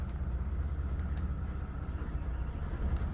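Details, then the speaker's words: 2008 Jeanneau Prestige 36 shaft-drive boat, twin engines started in neutral, serviced last winter. A deep, steady low rumble with an even beat and no knocks or misses shows a healthy engine at idle. "And then if we start the engines, make sure we're in neutral, make sure we've got the key switch on here, and we'll just fire the 2 engines up so you can hear them running briefly."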